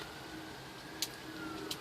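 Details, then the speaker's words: Volvo 240 automatic overdrive relay, repaired at a burned circuit-board trace, refitted behind the glove box with ignition on: two crisp relay clicks about 0.7 s apart over a quiet hum as the switch is pressed; working normally. "works exactly as it should can hear the relay clicking that's a wrap"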